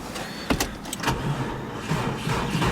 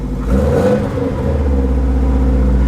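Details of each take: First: 2002 Subaru WRX wagon, 337,000 miles on odometer, auction car: regular starter cranking about three to four beats a second for ten seconds, never catches; cranks but won't start, owner suspects it is out of gas. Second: 2002 Subaru WRX wagon, almost 400,000 miles, apparently new long block, just started after battery flipped, with fuel added: strong, even rev rise and fall, smooth deep boxer note, no knocks or misses; runs really well, good air-fuel ratios, healthy engine.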